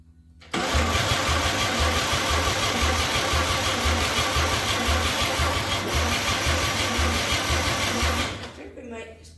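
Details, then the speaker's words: 261 straight-six on first-start attempt with a replacement carburetor now fuelled: steady starter churn about three compressions a second for eight seconds, never catching; spark confirmed present, so not a spark problem; coil or carb suspected. Crank no start. "ready still sparked there that means it's not a problem with the spark"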